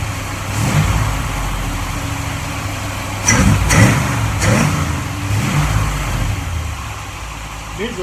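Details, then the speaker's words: 1947 Ford Tudor street rod, freshly rebuilt zero-mile V8 with new 9.5:1 pistons and Holley carb: whistle cured, traced to the carb base; stuck-open secondaries freed; steady low idle with quick blips rising and settling cleanly, no whistle or stumble. "so my whistle is gone it sounds like a normal Holly now so it was definitely the base"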